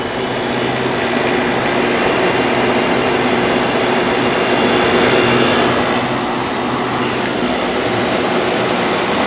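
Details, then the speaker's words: Fedders 8,000 BTU air conditioner with Sanyo compressor after cleaning, started: steady even fan whoosh with plenty of airflow over a low compressor hum, no rattles or knocks; normal running. "plenty of air flow through there now oh it did start"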